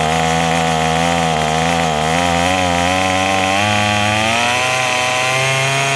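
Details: Craftsman 27cc two-stroke string trimmer, made January 2013, restarted after it suddenly stopped and smoking: continuous buzzing note climbing smoothly in pitch with no misses or stumbles; running properly.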